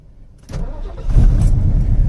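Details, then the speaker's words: Classic Ford Mustang Mach 1, carbureted, an auction car listed as run and drive: a brief crank, then it fires right up and settles into a strong even rumble; a normal quick start. "fires right up when do you know an old school carbureted car to just fire up like that man never hell no"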